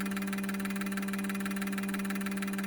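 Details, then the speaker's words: Injectors from a 2002 GM 6.0L LS drive-by-cable engine on the cleaning rig; rapid, even ticking over steady electrical hum. Camera frame rate likely only made it look like misfiring; all pulsing cleanly. Normal injector pulsing. "Hard to tell. Hard to see. But those are the injectors firing."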